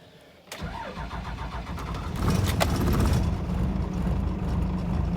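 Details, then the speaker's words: 1997 Dodge Ram 3500 5.9 12-valve Cummins, started at about 42°F after sitting a few hours: brief crank, then it runs rough, not on all six, before steadying. Hard start; the lift/transfer pump was later replaced. "kind of a rough start it's not running at all six yet all right seems to be running better now"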